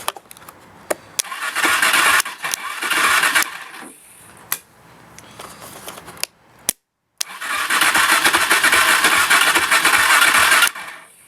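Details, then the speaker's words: Kawasaki KFX 400 ATV with choke on, after finding a loose ground wire: long bursts of starter cranking, and the engine coughs and tries to catch but never runs. It won't start, and the owner suspects the starter and carburetor, unconfirmed. "so it wants to start but just can't I think I think it's a starter it's a starter and the uh carburetor messed up"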